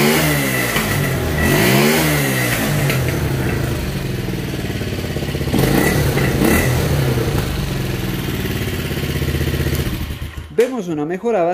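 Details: Motorcycle that bogged and stalled at 6,000–7,000 rpm, after fitting a new ignition coil, hot engine: revs up and drops back cleanly with steady even firing, no stumbling or cutting out; normal running.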